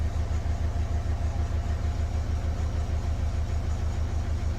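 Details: Renault Kangoo K9 diesel idling after reassembling wiring harness and accelerator pedal sensor to fix lack of pulling power, no fault codes: even low pulse about three beats a second, no misses, knocks or hunting; healthy idle.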